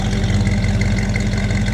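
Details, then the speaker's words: 1957 Chevrolet 283 small-block V8 after new distributor installation, points gapped at .016, warming toward operating temperature, heard from the rear: deep, even burble at idle, steady low beat, no misses or ticks; idling smoothly. "it's idling pretty nice right now I'll go ahead and let you listen to it back here"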